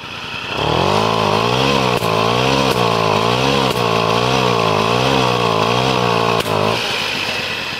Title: This is what a bad condenser on a moped sounds like.